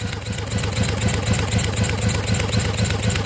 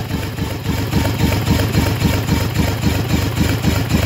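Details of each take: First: Yamaha 225 outboard during rebuild, bench compression test, cylinders reading about 110 psi: steady even cranking about four beats a second, no weak or missing strokes; normal consistent compression. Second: Freshly rebuilt Yamaha 225 outboard on the bench during compression test (about 110 psi), jumper-wired battery: steady cranking without firing, slowing slightly as the battery weakens and needs more revolutions.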